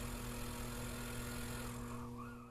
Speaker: buzzing just the water valve opening to fill the icemaker